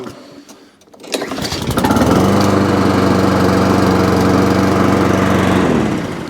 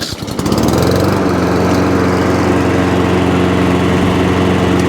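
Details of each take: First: Alco Silva 520 BR lawnmower after drive and throttle cable repair, pull-started on choke, dead-man tested: catches quickly, even drone, dies smoothly on release; drive cable could use more adjustment; normal start and stop. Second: Lawnmower just after cable repair, briefly run. The small engine runs with an uneven, lumpy beat and wavering note instead of a clean idle; it likely needs carburetor work and idle adjustment.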